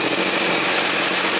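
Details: Stihl 029 two-stroke chainsaw after fixing a fuel tank leak: steady high-pitched buzz holding even speed, no surging or misfires; has compression, cuts, runs and idles well; normal running.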